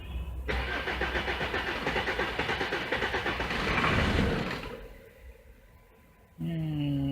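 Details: Jeep diesel with BP 36 injection pump, cranking while the owner scopes voltage for alternator spikes into the PCM: steady cranking about three beats a second, catches and roars briefly, then dies; starts but stalls.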